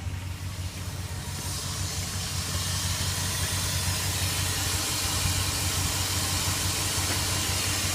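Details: 2002 Dodge Dakota 4.7 V8 with 120,661 miles, cool morning start, no smoke, only light steam; deep even rumble with rushing hiss, smooth, no ticks or knocks, heard from front. Normal idle and revving.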